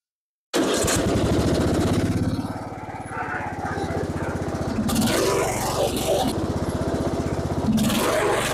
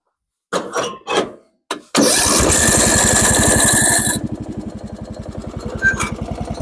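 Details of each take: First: Lawn tractor with rebuilt single-cylinder engine, after many successive faults were fixed: steady, even thumping with no misses or stumbles; the tractor now starts and drives normally. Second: Lawn tractor with freshly rebuilt single-cylinder engine, new battery, starter and plugs, jump-started with a booster: catches and runs strong, then lumpy idle rising and sagging; idle still unstable, owner will tighten the accelerator rod, which keeps jumping.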